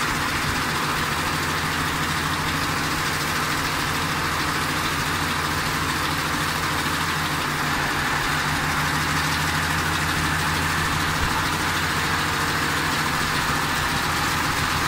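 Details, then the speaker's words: 2010 Ford Expedition 5.4L 3-valve V8, idle in drive on the brake under light load, VCT solenoids unplugged one side at a time: even idle with a faint quick tick that comes and goes. "so there is been here a slight ticking sound that's what I was hearing"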